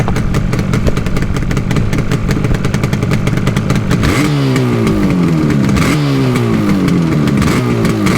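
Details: Yamaha RD350 LC two-stroke, 1980s, new plugs and fuel, mic placed by bike: crisp crackle at idle then several sharp revs climbing and falling cleanly, even pull, no misfire; healthy.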